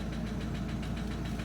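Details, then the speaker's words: Opel Astra H Z17DTH diesel, Bosch fuel system, after another shop's overhaul and injector replacement: sharp metallic knock about six per second over steady idle, internal knock. "давайте запустимо двигун Я думаю чутно що стучить у"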